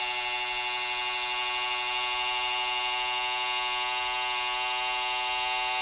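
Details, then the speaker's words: Motorized Walters bascule bridge (model railway), counterweighted with about 180 g; gearbox drive rod kept loose with no tight spots loading the motor. Steady, high, even whine at constant pitch without labouring or catching as the bridge moves up and down smoothly: normal running. "I made sure that this rod here that is connected to the gearbox it's very loose and there's no you know like tight spots that puts pressure on the motor so you can hear that it goes up and down very smoothly"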